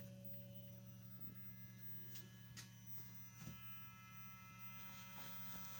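With the engine off, a low, steady electrical hum with a faint whine above it; the gearbox control unit is humming with ignition on.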